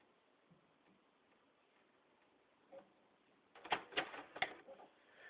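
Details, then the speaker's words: PS3 console, quiet hum then a short run of sharp mechanical clicks from the disc drive whenever a game disc is inserted, and the game won't read. "I I want to know why my PlayStation makes this sound whenever I try to put a game in here. I'll put the game in. Anybody can tell me anything. And it won't read the game either."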